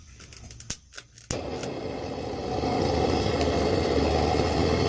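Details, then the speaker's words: Old Wenzel kerosene lantern, first burn after cleanup: the rapid preheater first would not light, and its jet was cleaned with a tip cleaner. Now a few sharp clicks, then a whoosh into a steady roaring hiss as it burns strongly. Owner thinks it isn't aimed well at the generator. "There we go, that's what I'm talking about. I'm definitely not a fan of that rapid heater. I don't think it's pointed quite enough toward the main part of that generator."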